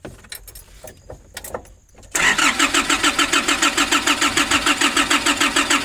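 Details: 2005 Nissan Urvan diesel, cold, sat for years, diesel pump pipes and bolt replaced, fuel filter primer being hand-pumped: steady starter cranking about three turns a second, no catch; fuel starvation until system primed.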